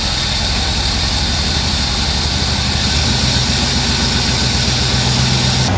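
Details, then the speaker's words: 1984 Chevy K5 Blazer with newly installed crate Chevy 350 V8 idling, fast rough rhythmic knocking only when put in gear; flywheel contacting the starter (first suspected flywheel or torque converter); flywheel contacting starter. "okay we figured it out the flywheel was contacting the starter and uh only when we put it in gear"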